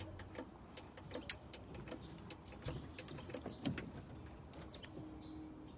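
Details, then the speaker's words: Indicator flasher on a Series IIa Land Rover clicking normally with crisp, steady on-off clicks after the self-cancelling Tex Magna-Lite switch was repaired and reassembled with new rubber replacing the roughly 54-year-old original. "So I'm hoping this will last just as long. But let's see how we go. Cheers for now. All right, it's all back together. Let's test. Hear the indicator clicking"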